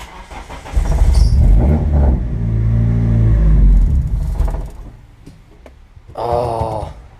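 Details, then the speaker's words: Eclipse 420a on a new Megasquirt standalone, first start in neutral. It catches and runs a few seconds with an uneven, lumpy beat and surging revs, then stumbles out; rough running, cause of not staying running unknown. "it's not very happy all right well it did run I do not know why it's so angry about something but it ran and you guys got to hear it now I need to figure out why it doesn't stay running"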